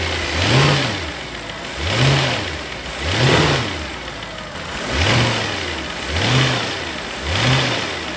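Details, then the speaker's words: Mercedes-Benz R63 AMG, 105,000 miles, pre-purchase inspection: engine brake-torqued, revs rising and falling smoothly about every 1.3 seconds under load with no clunks or thumps; hydraulic engine mounts judged good. "so those are good engine mounts."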